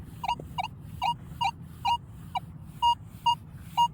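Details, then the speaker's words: Metal detector with the stabilizer turned up to 5 and then 4 (normally run at 1). Beeps of about 1 kHz come roughly once a second, uneven and broken up; the high stabilizer setting makes the target signal choppy. "See how it's choppier. The more up on the stabilizer I went, the choppier I got."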